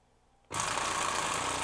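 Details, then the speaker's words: Waterpik SF-03C/SF-03W cordless flosser that had stopped working, now charging and running: steady even high buzz and hiss without faltering; pumping normally. "I just don't quite know what to do with this thing at this moment because it is actually working"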